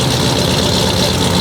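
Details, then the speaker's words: Fuel-injected V8, warming up, heard at the exhaust: low steady rumble with even pulses, no skipped beats, settled after running a bit; normal idle on all cylinders. "you know it run for a little bit then it kind of settled down but uh you can hear back in the exhaust man oh it's counting them off pretty good"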